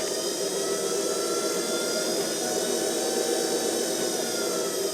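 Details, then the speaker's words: Variable-speed woodturning lathe, belt-driven spindle, belt range 400–2000 rpm, starting at 1200 and speed raised then lowered: smooth steady whine sliding evenly in pitch, no knocks or rattle; normal motor. "so that's 1200 and you can hear the speed going up now"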